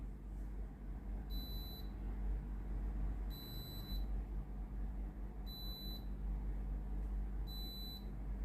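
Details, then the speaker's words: Philips GC7703 steam iron after water pump replacement, calc-clean started by holding the button 5 s: steady low pump buzz with short beeps every two seconds as water now reaches the soleplate; pump working normally. "ครับได้ยินเสียงปั๊มสูบน้ำมนะครับ[เพลง]Kหน้าตาเริ่มมีน้ำออกมาแล้วนะ"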